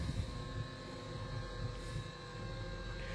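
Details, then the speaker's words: Acorn 130 straight stairlift travelling downstairs with the button held: steady low motor hum with a faint even whine, no knocks or grinding; healthy drive. "I'm now going to demonstrate traveling downstairs on this stair lift. So I'm going to push and hold the direction I want to go. And away we go."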